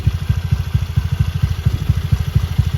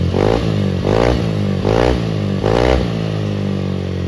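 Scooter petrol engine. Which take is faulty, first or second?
second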